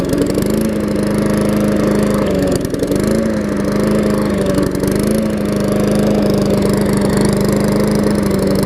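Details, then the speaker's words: Murray mower (trade-in with a loose gas tank), first run, one-pull start: steady buzz that sags and recovers, hunting for fuel; carburetor diaphragm needed, later replaced along with oil, air filter and blade sharpening. "So started on the first pull. So you can hear it starting for gas, so I'll probably have to put a diaphragm on it."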